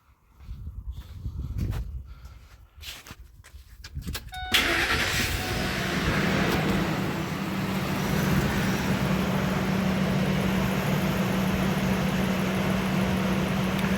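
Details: 2001 Ford F-150 4.6 L V8, about 150,000 miles, P1506 high idle, start after replacing a tube: starts cleanly and holds a smooth, steady idle without hunting, now tracking the 736 rpm target instead of about 1030; fixed.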